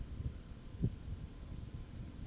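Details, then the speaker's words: Dryer motor, tested on the spin timer: the customer reported it just hums after being plugged in, with weak power. A low steady hum with no spinning. Suspected bad motor or capacitor. "y pag Gan lo idikit mo lang yung sa likod para malaman mo na an para marinig mo na naugong lang siya talaga p sira Gan loads motor yan or capacitor"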